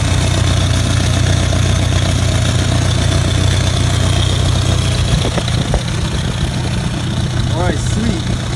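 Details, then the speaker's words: Nissan 240SX that made a thunk under throttle while driving, checked for rod knock versus exhaust leak: a rough idle with a steady puffing tick about four per second. The cause was a leaking exhaust header, not rod knock. "we'll see if there's an exhaust leak or rod knock all right here we go hopefully it's not a rod like it's just an exhaust leak"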